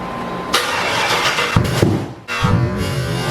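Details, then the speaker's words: Freshly built V8 on first start with a reprogrammed stock ECU/PCM: wrong intake manifold (square port instead of cathedral port) caused a severe vacuum leak, so it flares hard and holds a loud high rev toward redline instead of idling. "so the engine had a severe uh vacuum leak and it decided as soon as you started the vehicle it wanted to go right up to redline which is a no bueno on a built engine"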